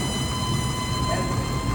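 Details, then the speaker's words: Volvo Penta/PCM Crusader marine EFI engine running: steady high whine near 1 kHz over low rumble from the water-cooled electric fuel pump, squealing and hot because its raw-water cooling line is restricted, not a failed pump. "And what we've done here is we've blocked the water flow for the water pump, the fuel pump."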